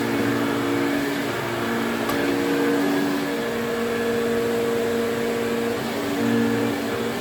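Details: 1980s Electrolux Twin Turbo 500-series exclusive (1988 Z517 or 1989 Z521) with a 550 W motor, switched on at the bag for a quick test. Even, steady motor whine holding pitch with no rattles or scraping. Motor sounds okay and suction is good.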